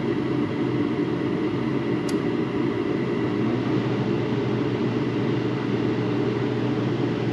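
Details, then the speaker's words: Garage heater converted from natural gas to propane, during the manifold pressure test with the manometer dead on 10: steady even burner roar with a low rumble, no popping, flutter or surging; burning cleanly at correct pressure. "All right, it is dead on at 10. Burning real good."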